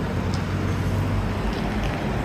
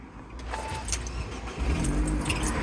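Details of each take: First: Car in Jamaica driving after new AC compressor and alternator belt replacement (seized AC bearing had thrown the belt): even engine drone under light road noise, no whine or rattle from the front; running normally. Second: Car's AC compressor, also on the alternator belt drive, after belt came off: engine cranks and catches, then loose metallic rattle over idle as the broken bearing, snapped off the piston, rattles and seizes, which burned and snapped the belt.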